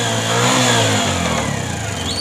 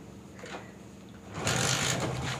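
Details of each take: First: Bajaj CT 100 with 17,000 km, started and revved: the engine rises and falls with a rough metallic knock riding on the exhaust note, pointing to a loose balancer weight. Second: Bajaj CT 100 motorcycle, 17,000 km, customer complained of engine noise; after repair, retightening and fresh engine oil, it fires up and settles into an even, steady idle with no knock, tick or rattle: normal idle.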